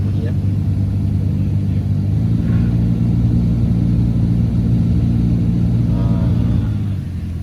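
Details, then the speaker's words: BMW 740Li F02 (2008–2015), customer complains of odd noise with A/C on; ignition on, blower speed raised: low drone with rough edge that swells with fan speed and eases when slowed; blower motor suspected, not yet confirmed. "So kita tengok, kita on blower dia. So kita dengar. So makin kita kuatkan speed dia, kita akan dengar satu"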